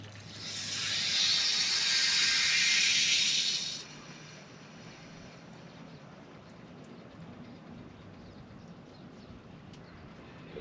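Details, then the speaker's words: Repaired broken copper water main, compression fitting with rubber bushing, water turned back on with an indoor faucet open to bleed air: sharp hiss of air and water for about four seconds, then quiet; joint holding, no leak. "looks like it's holding we'll go shut our faucet off inside you guys that is fully repaired as far as down there goes"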